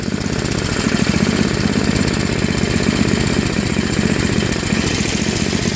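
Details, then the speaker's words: Craftsman Trac-Drive snowblower, Tecumseh Snow King 5.5 hp 195 cc, surging after storage and carb cleaning, fixed by idle screw adjustment at high and low throttle: fast, even single-cylinder chug, no hunting or surging; normal running. "looks like it was just some screw adjustments to get it running just the right way"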